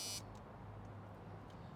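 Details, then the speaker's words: Original door warning buzzer in a 1987 Chevrolet Silverado R-10 pickup with 5.7 350 TBI and 700R4, heard inside the cab: short steady buzz that cuts off, then faint room noise; normal door buzzer. "Original buzzer still works."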